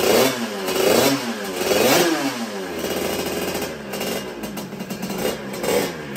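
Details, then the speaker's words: Sherco two-stroke on its first start with a brand-new 88cc Stage6 kit: uneven revving with a loose clattering rattle on each blip, then the engine stopped dead; the cylinder and piston were initially found undamaged. "il y a trop un bruit dans son carter donc comme vous avez pu le voir ce bruit était vraiment moche ça a stoppé net"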